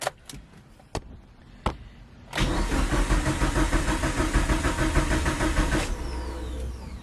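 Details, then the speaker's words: Mitsubishi Lancer Evo 8, first start after 8 years sitting, with the pump thought to be the issue: a few clicks, cranks, then catches into a steady, even run. It starts properly. "oh yo yes dude the car freaking starts now i'm so excited"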